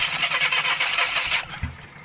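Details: Matiz Daewoo with no-start, battery suspected low: starter churns briefly, engine catches then drops away; hesitant start, cause suspected, not confirmed.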